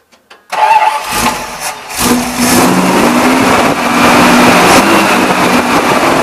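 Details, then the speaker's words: 1978 Dodge Warlock pickup after draining old fuel and refilling with fresh gas: cranks briefly, catches at once, settles into a strong, even V8 idle with a light blip once the carb bowls filled; normal start and idle. "but man fire right up idle great once it filled up the bowls man it sounded real good"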